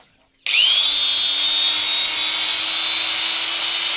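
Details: Angle grinder running free after cleaning and re-greasing the gearbox: it whirs up to a high, steady whine as speed rises and the grease distributes, running smoothly with no grinding or rattling.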